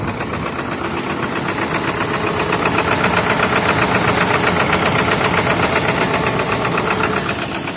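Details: Ford 7.3 Powerstroke diesel at rough cold idle at -35°C after block-heated, glow-plugged start; hard regular clatter about four knocks a second. Owner has narrowed it to bad injectors, with other injector-related problems; replacement pending.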